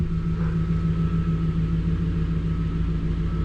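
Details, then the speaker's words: 1999 Infiniti Q45 (VH41DE), 190,000+ miles, after cleaning the throttle body to cure rough, shaking idle: even, steady low drone idling in reverse, no surging, shaking or tugging, RPM back to normal. "she's not shaking anymore my rpms are back to normal"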